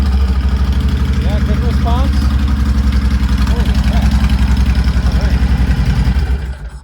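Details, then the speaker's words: Honda Fury 1300 V-twin motorcycle, first start after DIY fuel pump replacement without priming: strong, even, lumpy idle for about six seconds before shutdown, no misses or knocks; runs normally. "because I figured I had to prime and all that, but just cranked right up."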